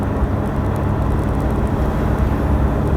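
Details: Cold 2013 Toyota Hilux Vigo diesel, started about a minute earlier, driving with the window down and going on and off the throttle: a steady low drone with no rattle or knock, normal clean running.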